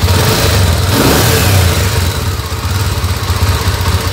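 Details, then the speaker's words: Yamaha Tenere 350 supermotard project with a carbureted, modified Honda NX 350 Sahara engine, started on its new exhaust with no radiator fitted yet: a slow, loping single-cylinder beat that sags after a rev. The idle is set too low. "vamos dar partida no nosso 350 na nossa tenere 350f funciona o a baixa marcha lenta demais achei ruim"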